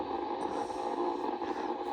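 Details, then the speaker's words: Ten Tec Paragon receiver after phase-locked loop board repairs: steady harsh buzzing hiss with constant hum band near 800 Hz swamping the audio; bad power line noise interference. "and I got really bad power line noise here."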